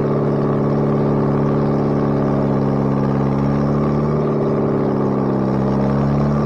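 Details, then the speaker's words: Bobcat 642B skid steer after head gasket replacement: steady, even engine drone with slight pitch dip mid-clip as it loads, no knocks or rattles; runs pretty good now. Normal running. "but uh it runs now runs pretty good so if it ever stops raining i'll take it out and do some work with it"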